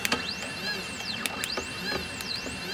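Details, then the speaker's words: CNC 3018 PRO machine: thin, steady high whine from the spindle motor running smoothly during wiring tests, with occasional light clicks; an anti-backlash nut was rattling beforehand. "Ooh, the spindle came on. Apparently, if you hit that okay, the spindle comes on."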